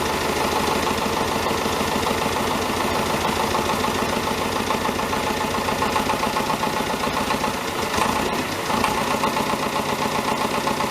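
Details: David Brown 1490 diesel tractor at steady idle on its first run after an engine rebuild: a faint, uneven knock about four a second. Owner suspects a fuel injection knock; injectors are being reconditioned.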